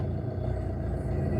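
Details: Car started in neutral with clutch fully pressed, steady even low hum with no knocks or misses at about 1000 rpm; normal idle.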